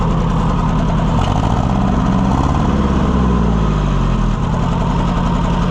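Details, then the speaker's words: Oliver 550 tractor just started after flooding: low, uneven, lumpy idle with one firing repeatedly dropping out; it has a miss, a dead cylinder. "I don't like the way that's running. It's got a miss in it."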